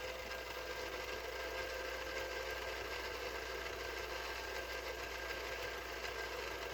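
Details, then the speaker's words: 1983 Mitsubishi HS-700UR portable VCR, after repair: continuous even mechanical whir with faint steady buzz on rewind, noisy with all cassettes, not on fast forward; owner suspects the rattly clutch under the reel or cassette seating or motor drive. "it's definitely noisy on rewind and it does this on all cassettes so i don't know if it's just the way the cassette sits makes more noise"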